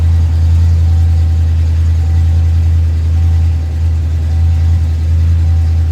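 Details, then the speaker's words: Fox-body car, first start after years of sitting, smog pump just freed with a hammer: deep, heavy idle holding steady with a slight uneven lope; running rich, cause not yet known, base idle reset planned. "Running rich right now, but we're there. It's running. That's the important part for right now."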